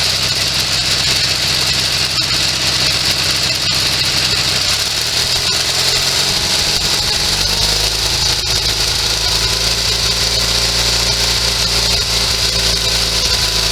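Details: Sears SS16 garden tractor with an Onan twin, revived after sitting several years: fed from a temporary gas tank through the fuel pump. It idles steadily with slight unevenness and a tone shift, running well. Water boils on the head, and the owner is sure the carburetor needs cleaning.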